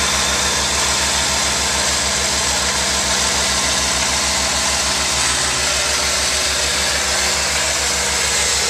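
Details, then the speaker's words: 1992 Ford Falcon 190 van, first cold start with electric fuel pump, started right up: smooth even idle with steady low hum, no knocks or misses; temperature cold, oil pressure and voltage good. "there's the electric fuel pump and it started right up and i won't talk or anything so i'll just kind of let you hear"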